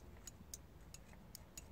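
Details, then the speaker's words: OMC Cobra / Volvo Penta SX sterndrive in neutral, checking ESA overstroke switch with multimeter: five crisp irregular clicks as the switch is pressed by hand, showing it is free and not engaged by the engine bracket interrupter tab. "like I said we were just talking about that interrupter tab on the bracket alright so right now listen you can see if I get in there and you can hear it clicking"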